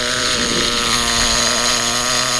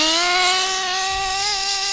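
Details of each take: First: HPI Trophy Truggy RC nitro 3.5 engine on 25% nitro, low-end needle being leaned: high buzzing note holds, then sags and slowly recovers on throttle; rich bog from too much fuel, not lean hesitation. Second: HPI 3.5 nitro Trophy buggy: a rich bog has cleared out, and punching the throttle now gives a high, buzzy note that climbs smoothly and holds without stumbling or bogging; clean, crisp throttle response.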